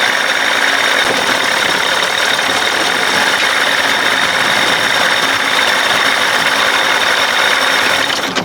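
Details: 60 hp Johnson two-stroke outboard running again after days of no-start trouble: even, buzzy drone at steady speed with no knocks or misses, running smooth and normal; owner unsure whether the fault will return.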